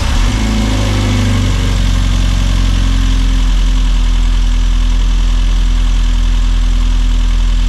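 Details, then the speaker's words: Rover Mini Cooper S Sport 5 with over 106,000 miles, just after replacing the injectors, which had idled roughly only when hot: the cold idle is steady and even, with no stumble or hunting. "So obviously it runs fine, it ran fine before when it was cold, it was when it got hot."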